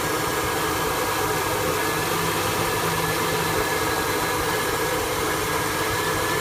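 V8 idling with a noisy, slightly uneven beat and no clear rhythm change; rough idle, cause not pinned down.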